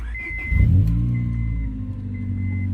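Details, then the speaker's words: 1997–2001 5th-gen Honda Prelude after power steering belt replacement: engine catches and settles into a smooth even idle with no squeal or squeaking, belt moving quietly; normal idle, no belt squeal. "well I don't wet hair and squeaking and would you look at that about is moving"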